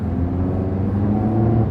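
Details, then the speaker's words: 2011 Nissan Rogue with a CVT pulling away: a steady, low, motorboat-like drone holds one pitch with nothing rattling. Normal CVT character. "kind of sounds like a motor boat to me i just don't like the cvt transmissions unless they're toyota or honda"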